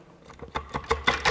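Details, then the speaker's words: Dual-mass flywheel cutaway with centrifugal pendulum, rocked by hand: loose metallic clattering in bursts that grow louder as it moves, the pendulum weights knocking freely; sounds severe but is normal. "mit fliehkraftpendel hört sich gewaltig an ist aber in ordnung"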